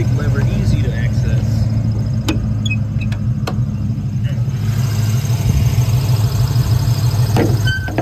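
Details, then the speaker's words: 1995 Ford Mustang GT V8 near 135,000 miles idling with hood open; low, uneven lumpy beat with occasional stumble. Misfire started after 300 good miles; plugs gapped fine, new upper intake manifold gasket fitted, cause unknown: misfire at idle. "I don't know if you can hear it but it's definitely missing there or something"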